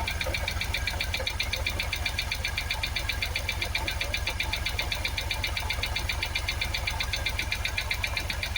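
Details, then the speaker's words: Jaguar XKR supercharged V8 after twin fuel pump replacement for a no-start. Lumpy idle with a steady stumbling pulse, about four a second, over supercharger whir; misfiring, running on seven or maybe six of eight cylinders. "we love it we're running it's got that noise in the supercharger definitely not running on eight cylinders"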